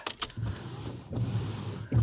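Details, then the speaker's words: 2008 Mercedes-Benz S550 (about 200,000 miles) with newly replaced wiper blades on dry glass: only soft low swishes, no chatter or scraping as before replacement; quiet wipers. "oh yeah and that's quiet and that's without the water"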